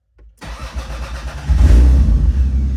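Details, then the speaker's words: Toyota MK3 Supra, odometer 173 (American miles stated), starts instantly after the faulty main EFI relay was replaced, following a long no-start. It settles into a slightly lumpy idle because of a head gasket leak. Normal start. "and like that it starts like nothing"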